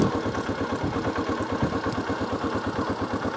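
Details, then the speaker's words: 1982 Honda XL250R single after oil-leak repair and a new battery: even thump ticking over steadily with no misses or knocks; normal healthy idle, no more oil leaks. "Listen to that. She's just ticking. No more oil leaks."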